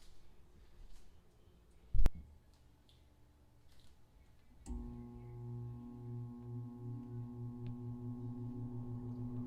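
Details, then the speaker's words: 2 ton heat pump evaporator blower just after a Fan Handler HP-240 install, on thermostat restart: a thump, then a soft low hum builds slowly and evenly to a low speed, thought to be about 30% factory default; smooth, healthy ramp-up. "runs [Music] so as you can hear hopefully the motor now has a really slow and smooth ramp up to its low speed which i believe is about 30 uh default from the factory"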